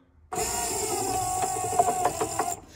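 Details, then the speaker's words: Crackling counterbalance spring in a 1964–66 Thunderbird rear power window mechanism: steady motor whine with sharp crackles and clicks as the window regulator runs up and down; spring is exceptionally noisy, before disassembly and repair. "it's just exceptionally noisy you hear a crackle in there let me uh let me bring this closer and you can listen to it hear that the crackling"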